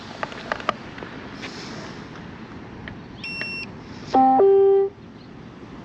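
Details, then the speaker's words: Hover-1 Alpha (H1-ALPHA-BLK) electric scooter powered on after throttle replacement fixed the E2 throttle error. A faint chirp, then one clean steady beep under a second, no repeated error beeps; normal power-up. "Okay, so now you're not getting that error and that extra beep when I turn it on. So yeah, right, great stuff."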